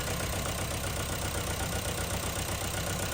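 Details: 2010 Honda Civic, believed 1.4 i-VTEC, at idle with flashing check engine light: uneven, lumpy beat about four pulses a second; cylinders 3 and 4 misfiring, injector pulse present, fuel delivery suspected.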